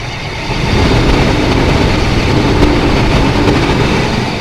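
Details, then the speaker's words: Chevrolet S10 Blazer Vortec V6 idling after replacing an ignition coil that leaked spark and caused misfire and vibration: smooth, steady low hum, no stumble or vibration; all cylinders firing evenly. "não tá vibrando nem nada e é isso aí com isso eu posso dar por encerrado a troca de bobina com a resolução da fuga de corrente desse motor aqui"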